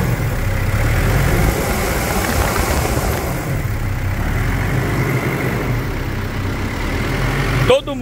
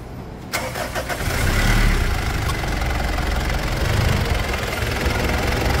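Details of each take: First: Mitsubishi Pajero Full 3.2 4M41 diesel at idle before the external belts were replaced: a thin, steady, high squeal from the AC and alternator belts over the engine rumble. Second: Mitsubishi Pajero Full 3.2 diesel 4M41 after replacing external alternator and A/C belts that squealed: cranks, catches and settles into even idle with no squeal over the clatter; belts now quiet.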